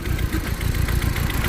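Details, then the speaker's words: MK1 Audi TT after hybrid turbo install, timing belt sheared when a nut wedged against the timing gear: uneven, lumpy idle with irregular thumps and stumbles; misfire at idle, turbo fine, owner suspects bent valves. "so you get kind of hear it misfiring a little bit by there you hear it misfiring a little bit it res and everything turbo is fine and all that is just getting a misfire"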